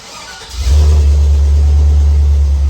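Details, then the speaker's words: 6-liter gas engine jump-started with a GOOLOO GT1500 pack on a partly charged battery: quick, brisk crank that catches within a fraction of a second and settles into a strong, steady run. "now you probably heard that actually cranked over very fast"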